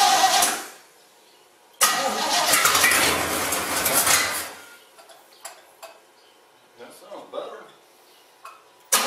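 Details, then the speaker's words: Basket-case GMC after the plug-wire spark fix and a new carburetor gasket: it catches with a loud roar for a couple of seconds, then fades and dies. The owner blames bad gas for it not staying running. Engine starts then stalls. "um all right it started and it kind of ran it didn't make a lot of noise bad gas won't let us stay running"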